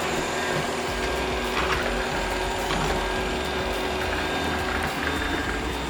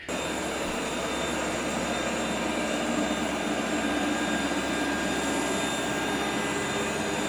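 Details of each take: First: Shark RV1500ZXUS robot vacuum, side wheels previously reported stuck, after cleaning debris from wheel motor encoders with compressed air: steady motor hum and smooth wheel whir, no catching or grinding; drive runs normally. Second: Shark RV1500ZXUS robot vacuum in cleaning mode: a steady, even whir with no grinding. It stops after about 30 seconds with a side wheels stuck error, caused by debris clogging the wheel motor encoders.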